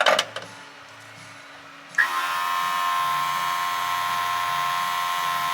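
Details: Edelbrock 1791 adjustable electric fuel pump on an old car/truck with an Edelbrock carb, running during pressure adjustment around 5 psi: a steady, high electric whine that starts abruptly and holds an even pitch with no surging, operating normally.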